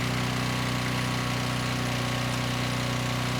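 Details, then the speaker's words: 5000 W Husky generator with a 9 hp Briggs & Stratton engine, revived after seizing, under a 2000 W then 2500 W load: steady, even drone with a constant pitch, holding about 61 Hz with no issues. "so we'll start with a quick 2,000 Watts no issues holding at about 61 Hertz and we'll add another 500 so we're at 2500"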